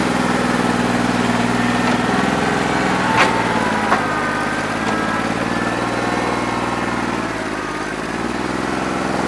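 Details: New Holland 1320 diesel tractor with a bad injector, running on about 2¼–2.5 cylinders, still rough after 3 hours of loader work when hot: uneven, lumpy idle around four beats a second with a missing-cylinder feel; owner thinks it needs an injector.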